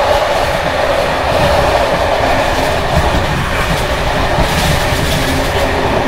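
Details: Bd264 481 coach (built 1979), Görlitz V bogies with many kilometres since major maintenance, uneven line 190 between Hluboká nad Vltavou and Číčenice; steady rolling roar with constant clattering and jangling from bouncing brake gear.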